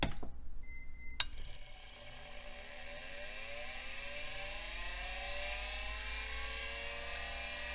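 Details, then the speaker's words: Vintage 1980s/90s computer hard drive powered up with the microphone right next to it. A sharp click, then whining tones climb roughly as the platters spin up; the owner suspects a sticking stepper motor. Abnormal spin-up noise. "okay well sounds like the stepper motor is sticking kind of no surprise sounds like a Rage Against the Machine song"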